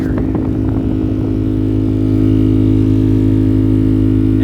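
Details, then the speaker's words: 2010 Ford F150 after a windshield replacement, AC on with blower on max; loud droning hum with steady throb vibrating through the whole truck, from a foreign object in the blower fan cage, owner suspecting rodent or dropped debris. "I'm going to turn my air conditioner on and I'm going to turn my blower motor all the way up I don't know if you can hear that but it is vibrating throughout the entire vehicle"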